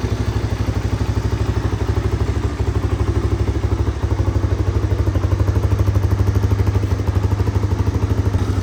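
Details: 1985 Honda ATC250ES Big Red trike, ridden many thousands of miles, model known for cold start issue and a creeping choke slide: crisp, regular single-cylinder putting, steady, no skips or hesitation; normal running.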